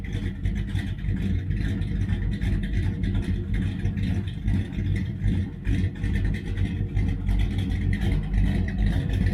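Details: 1966 Dodge Charger, aluminum-headed 383 V8 with big cam, headers and new Holley 4150 double-pumper carb being tuned: deep, slightly lumpy steady idle, no misses or knocks; a touch rich at idle.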